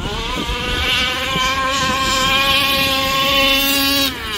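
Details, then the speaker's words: Rovan 5B RC car with stock Rovan 29cc two-stroke and Dragonfly pipe, after troubleshooting a cut-out and a heat-cycle break-in: high, buzzy scream holding steady revs at full throttle, then dropping off cleanly. Normal running at high revs. "Alright guys, a couple of days later, Peter broke in his engine and he took it for a rip, and then he sent me a video."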